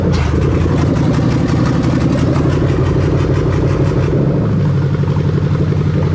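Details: 1998-2000 Lexus LS400 1UZ-FE VVT-i V8 on test with new rebuilt LHD harness: starts, brief high flare, then steady even rumble, no misses or knocks, check engine light out; idling normally.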